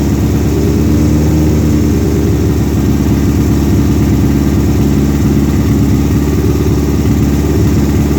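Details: Suzuki Swift GT project car with open header, after fuel cut sensor replacement, recorded on phone in garage: loud, raw, buzzy exhaust roar held at fast steady speed that never settles; idles too high.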